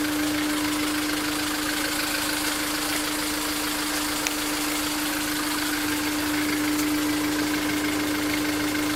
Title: engine noise after 2nd TCT